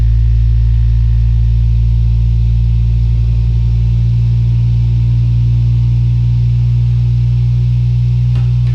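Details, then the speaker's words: Sovol SV07 (Plus) 3D printer running a Klipper input shaper "Measure X" resonance sweep: loud, steady low buzzing tones shifting upward as the frequency rises toward 100 Hz, with pronounced vibration of the frame; normal. "Now, that sound is very pronounced, we can hear some vibration now, definitely."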